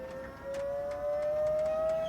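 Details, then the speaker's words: Vauxhall electric power steering pump fitted to Metro 6R4 WRX Subaru build, run unloaded on a switch: loud, steady high whine around 600 Hz creeping upward as it spins up. "Jesus, it's like a jet fighter. Assume it's going to stop. It's faster."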